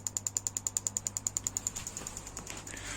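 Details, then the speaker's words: Ignition test before first start, with a spark plug on a copper-wire holder bolted to the head and the other coils disconnected, while setting base timing: sharp, even snapping about three per second over a low hum. Strong, regular spark. "and then just to double check that it works i've got the ignition test on here turn it on you can hear and see again spark"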